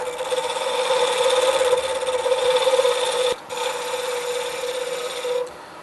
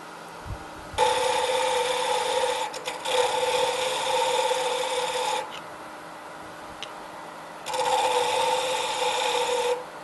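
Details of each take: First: Wood lathe turning a pen blank with corners removed: steady, even cut with a constant hum and hiss and no chatter, meaning the blank is fully round; noisy cutting earlier meant it wasn't round yet. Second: Pen turning on a wood lathe: rough, raspy cutting bursts on one side as the tool catches the corners of a blank not yet round, smoothing out once fully round.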